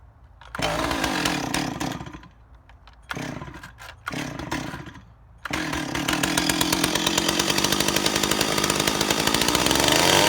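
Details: Ported Stihl 028 Wood Boss, weird run condition fixed by adding a gasket between carburetor and intake, tired clutch springs; saw catches, blipped a couple of times, then steady crisp even buzz, no stumbling or hunting: normal running.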